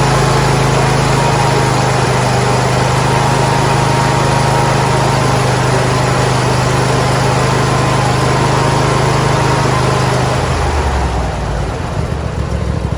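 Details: John Deere D140 lawn tractor being restored, started with gas added to the carb and choke on: a steady, even buzz from the small single with no misses or knocks, winding down at the end; normal running.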